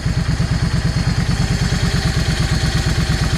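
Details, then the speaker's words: Yamaha 650 V Star after its jets were changed. Even, loping V-twin idle with steady thumps after the idle speed was raised slightly. Idle speed now sounds right. "I need to idle this thing up just a little cuz it's idle just a fraction too low. Let's see what that feels like. I think something along that line right there should be about right."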